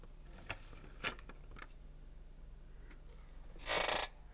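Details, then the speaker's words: Yamaha CDX-397 CD player that powers on but whose tray won't move: soft ticks and clicks, then a brief harsh whirring grind as the sled, moving but very loose, strains without travel; CD tray transport mechanism slipping. "Does the sled move? Yes, it does. But it's very loose. It's not supposed to be like this."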